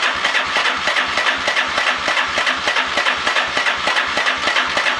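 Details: Lifan Earth Dragon 125, hot-wired project bike: steady cranking about three beats a second with even compression pulses but no firing stroke; no-start due to no spark.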